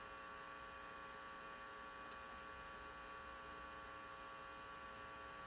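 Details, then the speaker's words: Suspected 1972 Fender Silverface Bandmaster tube amp, reverb circuit: faint steady hum with hiss, possibly a slight 60 Hz seen only briefly on the scope; it goes away with reverb turned down, and a noisy tube is suspected. "Maybe it's about 3.5, so maybe there's like a slight 60 hertz right there."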